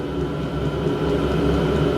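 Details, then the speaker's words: Diesel heater on a home test bed, with the pump mounted at an angle and the fuel tank raised after an air-filled line stopped the first start: a steady, loud fan roar and hum with no surging or rattles. Noisy but normal. "I hope you can hear me because of the noise. It is quite noisy, to be honest with you, but I'm half deaf anyway, so I can't hear it."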